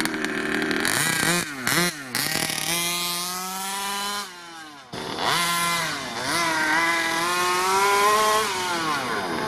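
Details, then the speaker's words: Rovan Q-Baja Shorty 1/5 RC car, 29cc gas two-stroke, brand new, first start and run-in near end of first tank, stock untouched tuning: crisp rasp climbing and dropping cleanly through throttle blips, no stumble or misfire; normal two-stroke running. "I think it's running really good"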